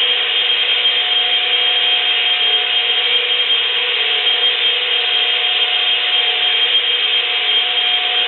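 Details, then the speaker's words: Dayton 115/230 V ball-bearing electric motor wired for 120 V, found stored outdoors with a stiff shaft: steady harsh scraping rasp, constant throughout, no hum underneath; dry, wrecked motor bearings grinding. "it sounds horrible makes like a grinding noise and some other stuff and it's probably not going to last much longer"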